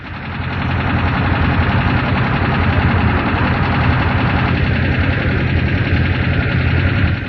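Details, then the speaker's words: Air-cooled Volkswagen engine running with valve clearance set too loose: quick, uneven light tapping over the exhaust note, about three taps a second. "An engine with loose valves,"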